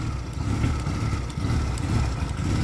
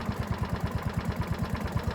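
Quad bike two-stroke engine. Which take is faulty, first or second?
first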